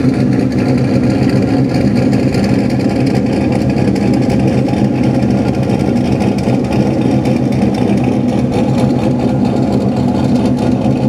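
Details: Engine idling after exhaust pipes reinstalled behind the headers and joint leaks sealed with exhaust sealant: even steady low rumble, no puffing or ticking at joints; exhaust sealed and healthy.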